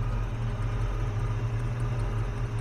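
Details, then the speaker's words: 1967 Chevrolet C10 stepside pickup V8, oil due for change: steady even low rumble at idle, no knocks, misses or squeals; normal idle. "so but it just sits here and runs i mean it just sits here and runs"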